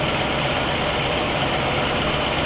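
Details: 1960 Pontiac Catalina 389 V8 at an even, steady idle with a smooth hum and no misses, ticks or stumbles, Heathkit IO-20 ignition oscilloscope attached; all cylinders are consistent and the engine runs cleanly.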